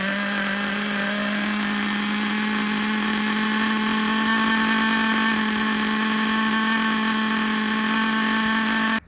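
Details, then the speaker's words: Used Traxxas Revo 3.3 nitro engine: steady, high buzzing tone that holds without dropping. The throttle return spring isn't closing the throttle fully, so it sits at high idle; an air leak was also found. "something's Goofy with a throttle return spring it's not closing it all the way"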